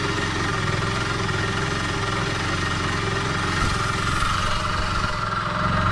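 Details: Honda Dio AF62 scooter engine run deliberately without oil ahead of an overhaul: rough, rattly idle with harsh metallic clatter rising near the end; engine damaged from running without oil.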